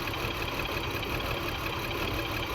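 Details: 2002 BMW X5 3.0L AWD, new battery and spark plugs, still multiple misfire: uneven lumpy idle with irregular low thumps and stumbles; pressure about 41 versus 50 spec, intake runner motor also popping.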